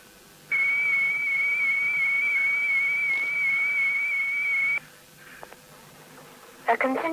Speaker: on which you would hear a continuous turn signal like this a patter signal like this or a continuous data transmission like this